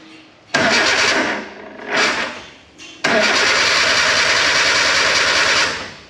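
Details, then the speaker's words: K11 Nissan Micra Super Turbo time attack car after Mallory Park: two short cranking bursts then a longer steady crank, never catches; new starter fitted, voltage dipping below 9 V while cranking; failed crank sensor. "so the new starters on but it's still not starting we've still got some sort of parasitic power draw from somewhere we're still dipping below nine volts when the engine's cranking over"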